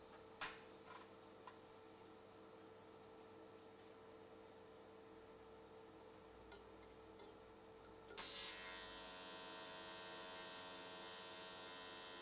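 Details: AC TIG welding an S13 catch can, likely aluminium, at 95 Hz square wave. Quiet room hum, then at about eight seconds a crisp, even buzzing arc strikes and holds steady. Normal, clean, stable arc, judged a good frequency choice.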